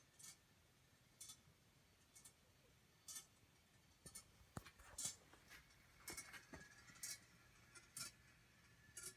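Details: Congreve clock in a cold garage, whose lethargic action kept stopping it: light crisp ticks about once a second, evenly spaced with no scraping or dragging; now running nicely.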